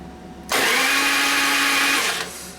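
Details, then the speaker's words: 1999 Harley 80ci Evo chopper after ignition module replacement; starter whirs steadily about two seconds but engine never catches, no spark because the ignition switch cuts power to the module when cranking, probably wired on the light circuit. "okay so the ignition switch is cutting off the power to the module when i hit the switch so that switch is doing something turning power off to whatever lead my ignition is hooked up on"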